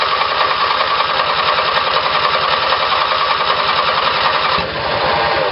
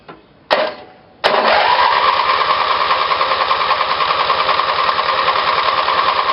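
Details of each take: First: Small twin-cylinder Briggs & Stratton engine on a battery-powered ignition, with two GM LS2 coils triggered by a failed magneto's primary winding: a fast, even firing pulse with no misses or stumbles; it runs cleanly. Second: Twin-cylinder Briggs small engine with a failed magneto used as the trigger for two GM LS2 coils on a battery-powered ignition: steady starter churn, about three pulses a second, for seven seconds without firing; cranks with no spark, so no start.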